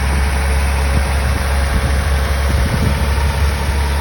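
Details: 1985 Toyota Celica Supra straight six, cold start after sitting a few weeks, timing belt changed at 115,000; smooth even deep hum, no knocks or misses, normal cold idle.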